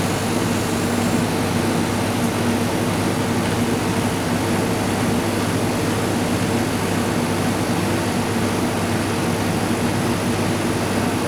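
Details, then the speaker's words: Refrigerated chiller trailer, about 10 years old, not cooling due to a burnt-out compressor relay: condensing unit gives a continuous steady hum and hiss, no clicking or cycling, discharge pipe hot, suction getting cold; compressor running normally. "Yeah, we've got heat in the discharge pipe. Compressors, you can hear it making a noise. Suction eye's getting cold."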